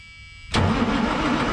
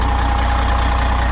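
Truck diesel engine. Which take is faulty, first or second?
first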